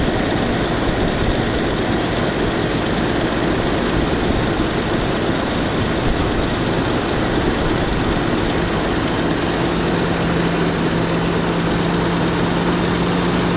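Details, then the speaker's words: 1989 Jeep Cherokee automatic with new plugs, wires, distributor cap and battery; owner reports idle sometimes dips; just started, steady even low rumble, no dips or stumbles here; idle holding smooth and healthy. "Starts right up. Let's go through to the engine. You can hear that it's idling pretty good."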